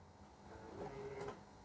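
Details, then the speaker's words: Rolls-Royce Silver Spirit III, unlock pressed on the remote that came with the car after a fuse change: a brief soft whirr and muffled clunk as the door locks open together; central locking working normally. "the doors unlock as well. Happy days."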